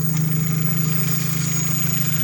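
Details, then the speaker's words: Opel Zafira 1.8 Z18XE idling after INA hydraulic lifters were disassembled, flushed in petrol and refilled with oil after ticking; gas (LPG) injectors covered with a rag to mute their clicking; smooth even idle, no top-end ticking: normal idle. "короче гидрокомпенсаторы не стучат я прикрыл тряпкой форсунки газовые чтоб они они издают щелканье тут нет у таких со стуком как слышно двигатель работает чётко"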